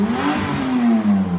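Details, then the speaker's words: Engine after a tape bodge repair on the holed muffler blew off: loud, raspy roar rising and falling with revs, rougher than a sealed system, though still slightly quieter than before; exhaust leaking again. "The tape's blown off. Oh, what a piece of junk. What the crap? Oh, I mean, it's still slightly quieter even as is."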